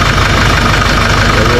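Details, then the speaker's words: Kia/Hyundai Bongo D4CB diesel after fixing a crushed alternator pulley bearing causing noise: steady even idle, smooth low rumble, no knocks or squeals; battery reads about 14 V. Normal idle. "So, guys, okay na siya. Umaandar na."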